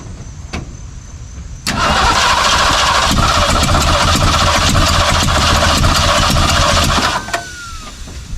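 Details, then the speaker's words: 1964 Ford 289 V8 in a 1962 Mercury Meteor after condenser replacement: fast steady cranking, about three and a half turns a second, for five seconds with no firing; points (pitted, worn rubbing block) to be replaced next. "that's not it but it sounds the same so let's try changing the points"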